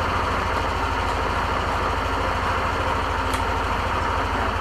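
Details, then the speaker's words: Yamaha NMAX v2.1 scooter after replacing a worn spark plug; before, revs dropped at start and it died on slight throttle: it now holds a steady, smooth idle with an even low hum and no stumbling or misfire; normal idle, response improved. "So, mas okay sa akin ngayon yung response niya."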